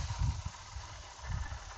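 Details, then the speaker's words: 2000 GMC Yukon 5.3 LS, low miles, with an aftermarket Whipple supercharger and extra injectors; customer says it runs wrong: deep, uneven low rumble at idle with irregular thumping surges every half second or so, intermittent noise suspected from the supercharger. "I'm not able to replicate the issue but I do hear some interesting engine noise let's see if you can help me figure out what's going on every now and again I get some weird stuff"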